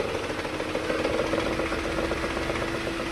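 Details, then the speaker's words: Maruti Alto engine idling around 1000–1200 rpm with AC on: uneven, shaking idle with a lumpy pulse about four a second that disappears when the AC compressor stops; misfire traced to a faulty ignition coil leaking current to body. "No AC चलता है तभी vibration ज्यादा होता है। AC बंद होता है vibration खत्म।"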